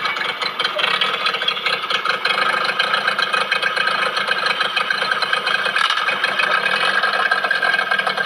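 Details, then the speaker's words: Yamaha 15 hp outboard, tested after repair for the owner's rough-noise complaint and after fixing a stiff forward/reverse shift adjustment. It runs with an even, steady buzz and no rough ticking, which is normal running. "Oke sekarang kita akan tes mesinnya lalu kita dengar sama-sama Apakah bunyi kasar Mantap sudah mantap"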